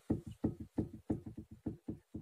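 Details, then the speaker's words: VW Passat B5 / Audi A4 lower rear (bent) suspension arm levered with a pry bar; dull, low loose double clunks about three a second from ball joint play, the cause of knocking on small bumps; arm needs replacing. "это то что вас стучит на мелких кочках сейчас вы должны увидеть даже невооруженным глазом как движется палец шаровой в этом рычаги когда я покачиваю ломом"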